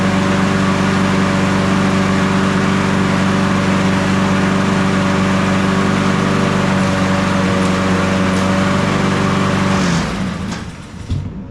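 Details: Toro Recycler 22-inch mower, model 20379, Honda GCV160 engine, after self-propel drive belt replacement and cable adjustment: steady even engine drone at constant speed for ten seconds, then clean shutdown; normal running.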